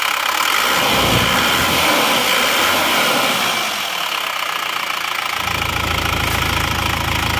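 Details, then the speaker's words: Isuzu Panther diesel idling after replacing pistons, piston rings and cylinder liners (non-original liners); steady, even diesel clatter at about 3.5 beats per second with no knock or miss, healthy idle. "ini adalah setelah diganti seker ganti r seer dan liner itu bunyinya seperti ini teman-teman suara mesinnya seperti"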